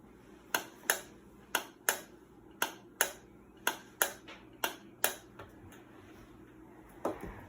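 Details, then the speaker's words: Amana washing machine overfilling: air blown into the pressure hose makes the water-level pressure switch click sharply, roughly once a second and uneven, so hose and switch are working; fault lies elsewhere. "You hear that clicking sound? That means your switch is working. So, the hose is good, the switch is working."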